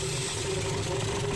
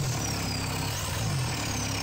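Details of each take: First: Mitsubishi 4M40 2.8L diesel from a Delica, run outside the vehicle after scrapyard purchase, first start: idles rough and stumbling from air still in the fuel system; injector lines being cracked to purge air from the nozzles. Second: Mitsubishi Delica 4M40 2.8L diesel from a scrapyard, started outside the vehicle for the first time after wiring, fuel priming, air purging and glow plug warm-up: fires up and settles into a steady idle with an even low rumble and light clatter, running normally.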